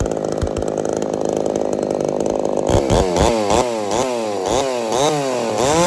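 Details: Ported Homelite Super XL-130 chainsaw, final test run after adjustments for a loose idle screw that turned by itself: steady high revs that pull down and recover cleanly with each cut, no stumbling; normal running under load.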